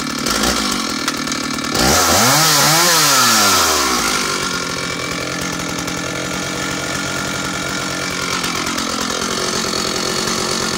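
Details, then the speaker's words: Stihl 056 AV Super 87cc vintage chainsaw after fitting a replacement SEM ignition module, which cured a missing-like running fault: sharp rev-up then steady, crisp idle about four beats a second, no stumbling or misfire; normal running. "so let me show you what she sounds like she's an amazing amazing engine"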